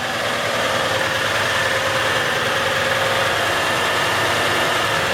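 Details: 1965 Chevrolet C-10 shortbed with three-speed: smooth, even idle with a steady hum and no knocks, misses or hunting in unusually cold weather; engine runs well, idle perhaps set slightly high and could be turned down.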